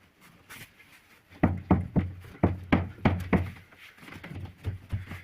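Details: Fiat Doblo with a knock from the rear right on rough roads: dull, hollow thumps as the fuel tank is rocked by hand, knocking against the underbody; the rear shock was ruled out, and the fix is lowering the tank and adding padding.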